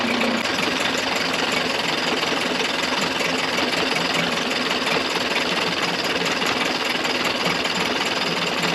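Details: Early-90s 8 hp Mercury two-stroke outboard, first run in a test tank after general maintenance: buzzy, uneven, ragged note instead of a clean drone; runs rough with fuel leaking under the carburetor, owner doubts the yellow fuel line is the cause.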